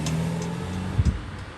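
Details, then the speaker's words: Mercedes-Benz W205 C300, about 40,000-something miles, owned under a year, driving forward: two dull heavy thumps over road rumble from rear right passenger side, less when reversing; owner suspects a ball joint or other suspension component, cause unknown. "Maybe sound like a ball joint or some kind of suspension component."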